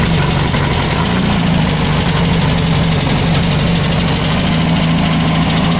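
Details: Freshly built VW Baja Bug air-cooled flat-four on the stand, break-in oil with zinc additive, Super Dome distributor: steady even idle with smooth low thrum, no knocks or misses; healthy.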